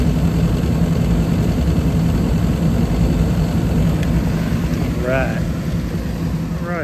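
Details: Trane rooftop gas unit after gas valve replacement, first heating run of the year: steady even low roar with constant hum, no surging, rattles or popping; gas pressure slightly high, burning smoothly.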